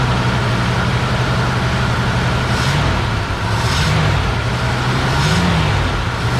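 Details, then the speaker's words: 1955 Buick Super old V8 running on its own on a gravity-fed temporary fuel supply; it cranks right up and settles into a steady, even low rumble with smooth throttle blips. Healthy idle, though smoking a little at the back. "Bo's right, this is way more fun. It cranked right up. And she sounds pretty good. Even when I give her the onions."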